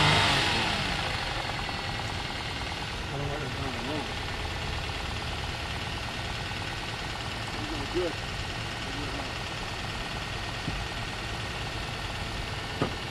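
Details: Abandoned Toyota Sienna with engine reassembled after being torn apart and left open to rain, jump-started: idles quietly with a soft, fairly even beat about three per second, no heavy knocking; running freely again.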